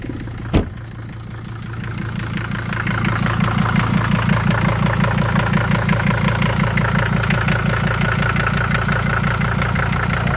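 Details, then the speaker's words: Mercedes OM617/616 diesel after replacing leaking fuel injector return lines and fuel filters, started after glow plugs and throttle until smooth: steady, even idle with light clatter about three beats a second, no stumbling; healthy. "not too crazy just give it fuel until you hear it uh smooth out there we go"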